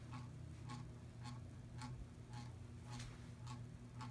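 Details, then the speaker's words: 42-inch Hampton Bay Littleton ceiling fan on medium speed: a soft, regular tick just under two per second over a low motor hum, from a bent blade wobbling and vibrating. "Now for medium speed. Now you can hear the blades vibrating."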